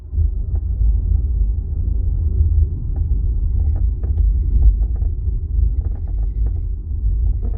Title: 2025 Ioniq 5 Ultimate boot trunk rattle creak noise